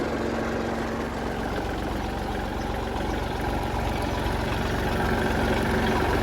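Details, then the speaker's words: Kubota L3008 30 hp small diesel tractor, about 700+ hours, starts easily: steady, even diesel clatter at idle with no misses, knocks or hunting; engine sounds good, though a worn belt squeals and is to be replaced. "อยากฟังเสียงเครื่องดูครับเสียงเครื่องดีครับผม"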